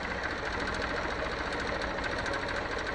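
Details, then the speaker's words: Crashed 2014 Honda CBF 125 single at idle after priming with fresh fuel, owner told valves need adjusting: quick light ticking knock every revolution; suspected timing chain rattle, piston pin or crank, unconfirmed. "I will shut it off and let's open this up again and see if the chain is not rattling inside because I think it does"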